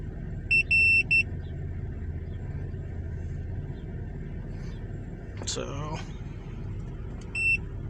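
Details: Vehicle after alternator replacement (failing bearing) with remanufactured unit and new belt tensioner: steady, even idle rumble with electronic beeps, sounds healthy, charging correctly, no codes stored yet; P0446 still being watched.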